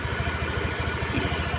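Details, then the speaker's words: Honda Spacy scooter after repair: worn, loose cooling fan bosses fixed; at idle the earlier clatter is gone, leaving even, steady idle pulses that sound healthy. "ini tidak ada suara kakakak tadi ya"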